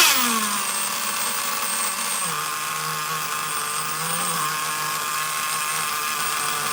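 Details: Traxxas Nitro Slash nitro engine on the bench: a high buzzing note that settles into a fast, steady idle instead of dropping off. The throttle linkage is slightly off and holding the carburetor a little open.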